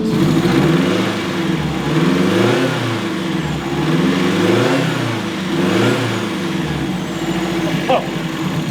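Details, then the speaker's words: Turbo Mazda Miata, built 1.6L with new head gasket and unequal-length turbo manifold, warming to operating temp, gauges showing good voltage, air-fuel, coolant and boost: revs rise and fall with faint whistle climbing each rev; turbo spooling cleanly, healthy. "Oh, you can definitely hear the turbo."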